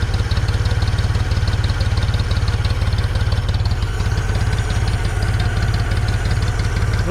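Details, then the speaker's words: 1974 Ford 3550 industrial tractor, revived after 18 years sitting and recently seized: even low putt-putt idle at about three beats a second, no misses, knocks or smoke; intake in poor shape, no pressure yet. Normal idle. "i was a little nervous because it's pretty damn green but uh running beautiful running absolutely beautiful [Music] no smoking"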